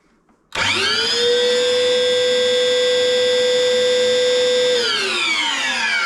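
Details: Workshop chip extractor, a few years old: loud steady high-pitched screech climbing as the motor spins up, holding flat, then sinking on shutdown; owner suspects a worn motor bearing.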